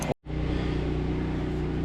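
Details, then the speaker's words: Kenworth W900A diesel after months of restoration, open stacks, no coolant, fuel line just connected: after a brief cut, a low, steady, even diesel rumble; runs healthy, normal idle, later a pinhole fuel-crossover-tube leak found. "Yes. Well, it runs again. That sound really good."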